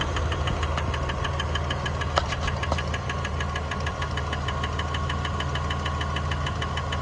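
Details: 1999 Dodge Dakota 4x4 Sport, 3.9 V6, 200K miles: sharp rhythmic ticks about two per second over steady idle; belt looks ok, owner suspects a pulley, source unknown.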